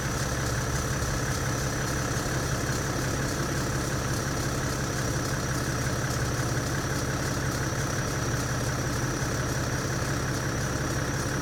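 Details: BMW F10 525d diesel just after start-up: a dense, steady clatter over a deep, even idle rumble, a weird noise at start-up whose cause the owner does not know.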